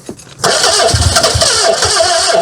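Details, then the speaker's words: Austin Ambassador first start after sitting 25 years in a hedge: it cranks, catches abruptly and runs ragged for a couple of seconds, barely holding on before struggling; ignition advance still to be adjusted, cause unconfirmed. "Fucking hell, come on, Albert. So close."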